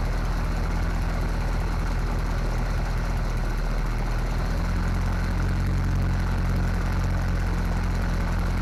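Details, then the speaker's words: 1955 Willys wagon with small-block Chevy 350, first start after removal from a '46 Chevy: low, deep, somewhat uneven but continuous idle after plugging a manifold vacuum leak and fixing fuel delivery; running off a temporary tank, carburetor still needs adjustment. "All right, George. I think we got it. Got some adjustments to make on that carburetor for sure. We're going to call that a win."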